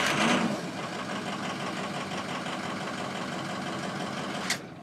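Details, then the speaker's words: Ford 6.0 Powerstroke diesel that runs rough when cold (sticking injectors), in the 70s°F: steady, even cranking with no weak cylinder. The scan tool's relative compression test agrees, so compression is normal. "Another good thing, even though the computer's checking it, just use your ears. You can listen to the motor. It sounds consistent, so it's not going to be a problem."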